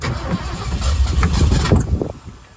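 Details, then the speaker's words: 1966 Ford Bronco U13, barn find, being coaxed to run: catches and runs rough about two seconds, then dies; stalls right after starting, owner puzzled, cause unknown. "and then it shuts off which doesn't make sense so let's try giving a little gas then"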